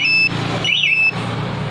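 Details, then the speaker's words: Yamaha XSR 155 VVA with a newly installed anti-theft alarm and smart key, sounding its siren over a low idle-like rumble. The loud steady high tone sweeps and warbles as designed and can be triggered by remote if the bike is taken. "jadi kita ketika motor dibawa kabur sama remote kita masih punya kesempatan untuk mematikan dari remote karyanya itu bagusnya sekali peti mati dan alarm berbunyi"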